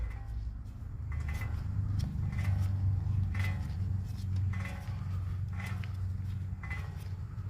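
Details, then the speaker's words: 2016 Buick LaCrosse, rear noise while driving; brake pads and rotor checked fine. Steady low droning hum with faint ticks about four a second, increasing with load and higher speed. Fix: new hub. Wheel bearing noise. "and that noise just increases once the vehicle is loaded and is going at much higher driving speeds so what we're going to do is put a new Hub in it"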